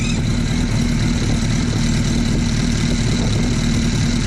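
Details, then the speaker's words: Suzuki Hayabusa Gen 1/Gen 2 four-cylinder at idle while adjusting the crank balance shaft external arm: rattle, then a thin constant whine when the balancer is turned too far and gear mesh is too tight. "You hear it start to rattle. Now you hear the whine. Now remember, it was only right there."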